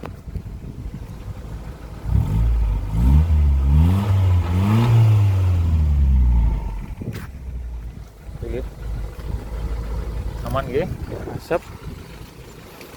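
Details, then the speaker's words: 1990 Toyota Starlet EP80 1.0 cold on a dewy morning, heard from outside: idles, then a couple of clean blips up and back down, smooth and even, revved to check for smoke, engine judged fairly smooth. "Itu untuk mesin seperti ini. Kondisinya cukup lumayan lumayan halus gitu nggih."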